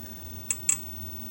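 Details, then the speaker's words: 25-inch K7000A arcade monitor chassis on second power-up after repairs, flyback possibly faulty: two sharp high-pitched ticks over a quiet hum while the image jumps; intermittent noise of unconfirmed source, maybe flyback, followed by vertical collapse. "I've never heard that sound before. Man, this thing is just one issue after. What is that noise? The image is jumping when that's going on."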